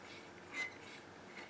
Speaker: i still have to do something with this volume knob it's got an awful scraping noise in it